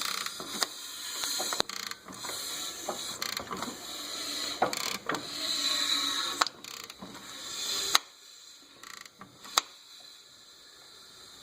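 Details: Nissan Titan running engine with a thin, metallic ratcheting rattle and uneven clicks from a stretched timing chain.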